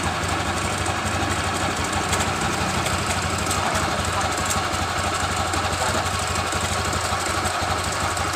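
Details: Honda Genio scooter idling with uneven dry crackle about three a second, loudest from the CVT case on the right side; began days after someone put sand into the oil filler hole; owner reports clicking while riding.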